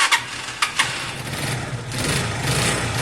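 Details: Zontes Tiger 125cc (Keeway RKV), carbureted single with a little petrol, on choke just after its first start: a few sharp clicks, then a steady, low, even hum settling into a normal clean idle.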